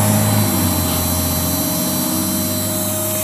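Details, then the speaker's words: Replica Imhotep relay charger powered by a solar panel on a hollow wooden door, charging a 11.81 V battery: steady relay buzz and low hum whose pitch drops and settles once the battery load is connected. "i don't know if you can hear that changes frequency when i put it on load that's pretty cool"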